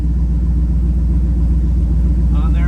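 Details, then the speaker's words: 1937 Nash coupe, 6.0 Vortec V8, after fixing the dead bank: deep, even idle settling closer to the target rpm, steady low beat with no misses. Normal idle. "so um it sure sounds nice I think it got down into the it's getting down closer to my uh the RPMs"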